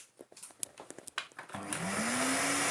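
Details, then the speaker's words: Numatic NRV200 vacuum after refurbishment and new motor (found with water inside): smoothly rising whine settling into even steady roar; normal running. "car doesn't he run well i mean because we found him buy some bins full of water he runs remarkably well don't you think"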